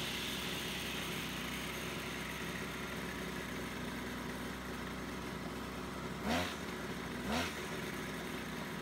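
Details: Small two-stroke brush cutter, after repair of a split fuel hose that had leaked fuel and stopped the engine mid-mowing, buzzing steadily at idle with two short throttle blips near the end; picks up cleanly, sounds healthy.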